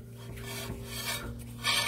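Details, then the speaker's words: Peugeot 508 HDI 163 hp rear brakes: dry, gritty metallic rasping in short strokes as pad backing plate scrapes the disc; pad worn completely to the metal, disc and pads at end of wear. "Vous voyez la plaquette là, je sais pas si on voit bien sur la caméra, mais elle est complètement sur la ferraille. D'ailleurs, on entend le bruit."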